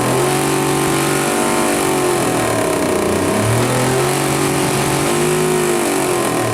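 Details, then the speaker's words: 1962 Ford Falcon engine during break-in: rough knock following engine speed as it revs; the crankshaft was felt striking a dent in the oil pan from when the engine was dropped. "put my hand on the oil pan where I had when I dropped it it put a dent in it and I put my hand on there and I could feel the crank hitting that dent"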